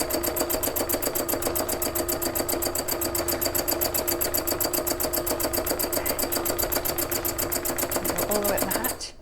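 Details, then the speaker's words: Sewing machine used heavily for demonstrations: fast, even chatter near four stitches a second with a harsh, rattly edge; stitches smoothly but sounds like something loose underneath, rough-running, owner suspects it needs oil or some TLC. "it feels like it's stitching smoothly but yeah yeah it sounds like something loose underneath it needs some oil or a little bit of tlc"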